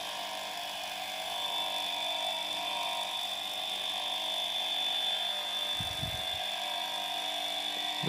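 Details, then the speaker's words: Welling 230 V AC induction pump motor from a Galanz dishwasher run on a variac at about 240 V, held in hand: steady quiet hum with constant high whine, no rattle or pitch wobble; runs normally. "gotta be careful I don't get electrocuted this is dangerous voltage so as you can see and here the motor works just perfectly"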